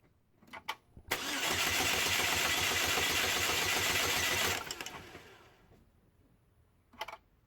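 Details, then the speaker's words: 2006 Chevy Cobalt 2.2L Ecotec with random P0300 misfire, compression test with ignition module and coils removed: starter cranks evenly about four beats per second for about three seconds, no firing, strong even compression pulses; normal. "you'll want to crank it for about five seconds when performing the test you want to disable the ignition so it doesn't start"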